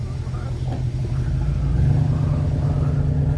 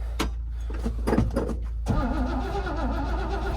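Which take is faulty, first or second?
second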